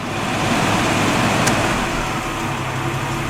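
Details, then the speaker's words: AMC carbureted engine with CEC Sol-Vac: headlights switched off removing load, idle eases down slightly and settles at a steady low speed as the solenoid releases; healthy, Sol-Vac working. "It goes back down again."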